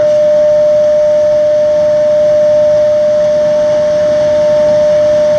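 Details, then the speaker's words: Xeikon 5000/6000 drum refinishing machine, recently repaired with new belts and gears: loud, pure, steady tuning-fork-like ring as the sanding pad crosses the drum removing fused yellow toner, normal; occurs on some passes, not all. "But as I come across like this, sometimes the machine will start making that terrible sound, sometimes it won't. And here comes that noise. It's like a tuning fork."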